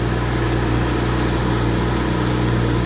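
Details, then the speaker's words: Copart auction car with check engine light on, automatic start-stop and traction control turned off: smooth, even low idle hum with steady pitch, no misses, ticks or knocks; engine runs very well. "It seems to run all right, though. It actually runs very well."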